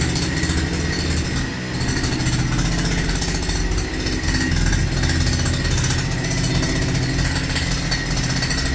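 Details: Russian URAL MASH 5.7 hp brush cutter, new, during first run and break-in: steady buzzy two-stroke drone with fast, even firing beat, no misses or knocks; normal running during break-in.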